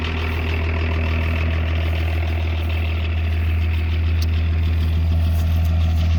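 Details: 1984 Lincoln Continental with BMW-built 2.4 L inline-six turbo diesel and ZF transmission, claimed 70,000 miles: deep, steady diesel idle with an even low throb and light clatter on top, smooth and unchanging; healthy.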